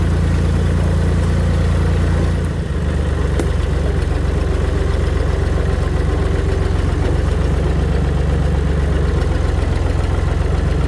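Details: Tractor running steadily and quietly after its rotted-off muffler was replaced with a new one with added welded hanger support; even low drone with a brief dip near two seconds, no blowing or popping, much quieter than straight-piped.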